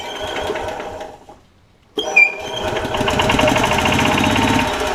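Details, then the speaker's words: Club Car DS golf cart with Kawasaki engine after crankcase gasket replacement; engine chugs evenly with a thin high squeak over it once it picks up, no oil leaks seen; squeak probably from the clutch. "are we leaking anything everything I see is dry so far so that's good squeaking though"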